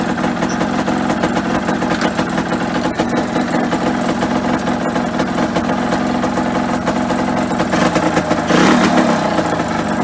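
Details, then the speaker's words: Normal idle on a Yamaha RD125LC two-stroke barn find started after standing 17 years, fresh oil, carb fed from a rigged external supply: busy, crackly idle holds steady with a brief throttle blip and runs evenly. "Yeah, I'm really pleased with today. I honestly didn't think it would be running."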